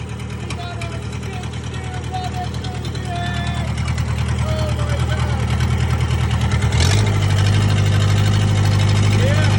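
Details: 1998 Gehl skid steer with 4-cylinder Kubota diesel after fuel pump rebuild, lines and injectors bled, new battery, glow plugs hot-wired; diesel clatter catches and settles into steady, strengthening idle; normal start and idle.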